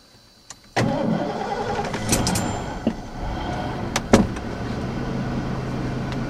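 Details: 1989 Ford F-150 4x4 stick shift, cold start on a 12-year-old battery with the IAC valve disconnected: a slow, labored crank as voltage drops to about 8 V, then the V8 catches and settles into a steady idle while the alternator charges at 14.8 V.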